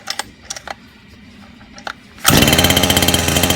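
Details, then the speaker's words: First start of friend's two-stroke motor, preheated with heat gun: settles into fast even burble, no misses; smooth idle, richer than it should be. "Man, nice and smooth. Look at that. Break the thing idle. It is richer than where it's supposed to be."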